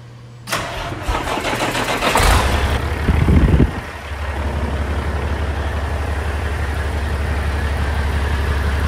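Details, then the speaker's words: Big truck diesel after a new fuel filter line and O-ring were fitted, with about 100 psi fuel pressure. It cranks a few seconds, fires, then settles into a smooth, steady low rumble; it runs well. "thank you oh yeah okay it runs real good"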